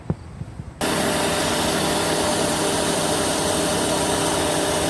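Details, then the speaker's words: 2003 Honda Civic idling with A/C on after the fix for A/C turning warm after 5–10 minutes of driving: steady, even hum and airy rush with no clatter, squeal or cycling knock; normal A/C compressor running. "all right you can see that the um the ac and everything is on but we're going to make sure that it's not staying on we're going to make sure um it's engaging like it's supposed to"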